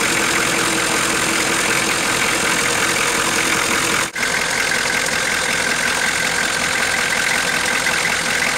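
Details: 1987 Ford F350 6.9 diesel idling, heard from inside the cab: a steady, fairly even knock about two to three per second over the diesel clatter; the source of the knock is undetermined.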